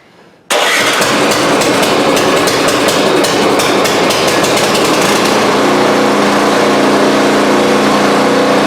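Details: Newly assembled new snow blower, fresh oil and gas, started again to check the augers engage: quick catch from silence into a steady, buzzy small-engine run that settles smoothly; starts and runs healthy.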